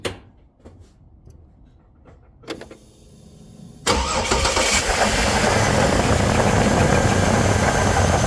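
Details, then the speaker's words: 2004 GMC Envoy, drive belt noise thought to be alternator: at idle after startup a constant rough gritty whir over engine note; failed water pump bearing, pulley has play; idler pulley bearing also failed, alternator pulley sounded fine. "Now, as you should have been able to hear, that is definitely bad bearings from the water pump, which we already know is bad because the amount of play in the pulley here."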